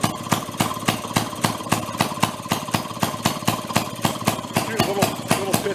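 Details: 1937 Maytag 92 single-cylinder two-stroke washing machine engine from flea market, previously non-running, now kick-started on bench: sharp steady firing about three and a half beats per second, even rhythm; running properly. Normal running.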